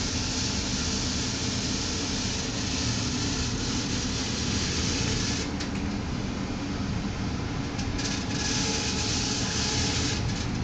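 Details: Newly installed furnace: steady blower roar with a fast high-pitched rattle, briefly stopping; caused by the manufacturer's manual left in the blower compartment, removed by technician.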